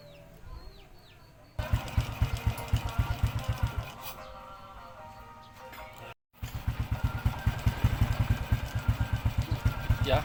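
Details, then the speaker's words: Honda Supra/Revo 100 motorcycle idling after replacing the loose timing cam chain: even, steady putter with no top-end rattle; before the repair it rattled loudly because the cam chain was slack. "sudah halus ya. Kalau sebelumnya sangat gemericik sekali ya. Itulah perbedaannya."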